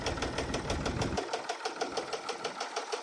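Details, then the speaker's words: Case 1030 tractor at idle: sharp, even tick about three times a second over the clatter, from the front cylinder's top end. That cylinder is not firing and sprays fuel from the exhaust manifold; stuck valve or broken valve spring suspected. "But as you can see, that front cylinder isn't firing and it's spraying fuel out of the exhaust manifold. So, it either has a stuck valve or it has some kind of broken valve spring."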